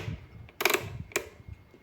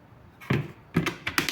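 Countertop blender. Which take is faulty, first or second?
first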